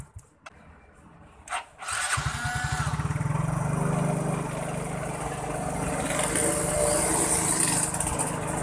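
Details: Yamaha Mio J fuel-injected automatic scooter that would not start: a short crank, then it catches and settles into a steady, even putter with no misses, starting and running normally.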